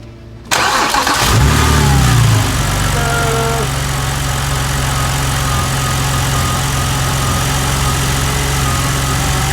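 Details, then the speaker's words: BMW 128i, relatively stock, just after a flex fuel (E85) kit install with the fuel line emptied: cranks slightly longer, catches cleanly, flares and settles into a steady, even idle with no stumble; normal start and idle. "It'll take just a second longer to crank because the fuel line got emptied, so..."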